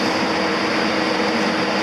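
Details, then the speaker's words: John Deere W235 diesel idling at 900 rpm, steady airy rush of the cab fan over an even idle, no knocks or squeals; fan running normally and shuts off shortly after. "900 RPMs is what she's idling at right now. Here, I'll show you something and see if you can hear the difference. I hear a fan"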